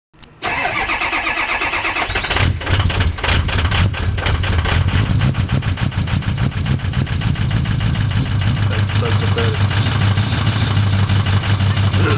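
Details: 6.0L diesel cold start with bad injectors: cranks briefly, catches, then settles into a loud, uneven, clattery idle with an unsteady rhythm; hard cold start from faulty injectors.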